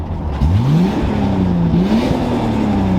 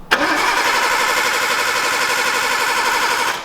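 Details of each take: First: Imported Nissan R32 Skyline with MaXpeedingRods turbo, first drive after rebuild: clean whistle climbs smoothly with revs over strong engine note, holds steady while pulling; healthy turbo spool under acceleration. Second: Imported Nissan R32 Skyline with a new MaXpeedingRods turbo, first start attempt: the starter cranks steadily for three seconds but the engine never fires; the fuel pump seemingly not primed, suspected.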